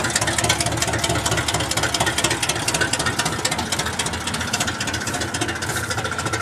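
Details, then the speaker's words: 1978 GMC K25 truck started for the first time in years after sitting: loud, ragged, uneven idle with raspy open-exhaust crackle; rough running because only one exhaust header is connected. "part of the reason why this thing sounds like a dying tractor is it has one header hooked up and one not"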